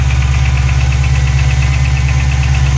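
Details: Ford Mustang GT500 at cold start idle: light fast ticking, about eight a second, over a smooth idle; cause unknown.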